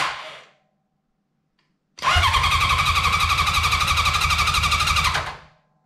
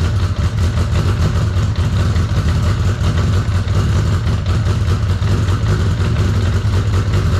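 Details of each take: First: 1983 Honda CB750 sitting at least 10 years, first start attempt: starter whirs with a steady four-per-second chug for about three seconds but never catches; crank, no start. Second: 1983 Honda CB750 stored about 10 years, running on external fuel source: four-cylinder holds a steady throbbing, slightly uneven idle throughout; normal running after long storage.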